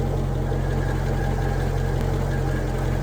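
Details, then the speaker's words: Car with about 101,000 miles: steady low, even idle with no knocks or misses, smooth rumble; healthy normal idle. "And as you can hear and see, she's running nicely. Very well looked after the car."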